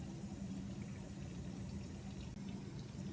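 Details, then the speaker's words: Viking Pro VDB450ESS dishwasher resuming after the door was opened mid-wash, dishes added, start pressed and door closed: low, steady pump hum under filling water, level even; the wash cycle continues normally. "You can hear the sound of the dishwasher going, and you're all set."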